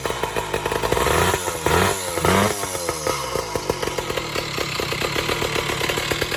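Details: Vintage two-stroke boxer-twin motorcycle from about 70 years ago being blipped: crisp, raspy crackle rising and falling with throttle, firing evenly; a healthy engine.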